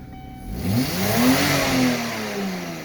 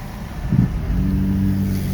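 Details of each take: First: Kia at about 200,000, just after its plugged air filter was blown out and removed, revs smoothly and freely from idle and settles evenly, now with no smoke. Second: 2005 Kia Sportage at about 220,000 miles, throttle floored on the road, holds a low flat drone and won't rev or go, with some smoke.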